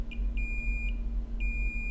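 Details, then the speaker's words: Dead iPhone 7 Plus under data recovery: multimeter continuity beeps on VCC_MAIN to ground on both sides, diode reading 0.001, confirming a VCC_MAIN short. "so we can hear that VCC main is beeping on both sides so that tells us that we do have a VCC main short"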